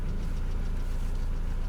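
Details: Mercedes Vito W638, post-facelift, M111 2.3L petrol, automatic, dual exhaust; idle around 832 rpm, oil 55°C; dull rhythmic knock under the exhaust note at idle; cause suspected, not confirmed.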